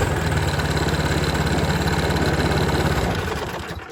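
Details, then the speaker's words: Toro Power Max 826 OE snow thrower, 8 hp 4-cycle, slightly warm, full throttle then backed off slightly: catches on electric starter and settles into quick, steady beat before winding down; healthy normal start. "Okay, so that's basically how you start the machine."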